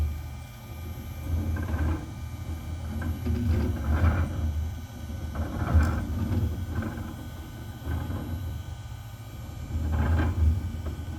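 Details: OneFinity Foreman CNC table, low rumble swelling and fading every second or two over a steady drone while X and YB axes move together cutting arcs; absent when either axis moves alone; cause undetermined.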